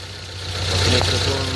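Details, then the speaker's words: Proton Wira idling after replacing worn-short alternator carbon brushes that had stopped the battery charging. Short, low, steady idle with no knocks or squeals. The alternator is charging again and the engine is idling normally. "Dah start charging. So kalau nak tahu alternator kita rosak ke tidak, bila dah start enjin, cuba cabut satu bateri ni."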